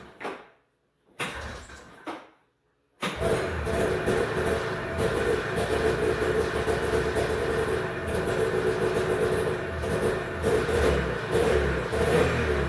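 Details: 1991 Arctic Cat Prowler 440 liquid-cooled two-stroke snowmobile, stored 4 years: two short bursts die away, then it catches and runs steady. Stalling is traced to the throttle safety switch; it runs when the spring switch is held closed.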